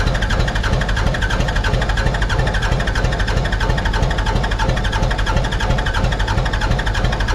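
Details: Mitsubishi BD2F dozer diesel, unrun for years, cranked while bleeding air from injector lines; steady starter churn about three compression pulses a second, no firing; cranks without starting.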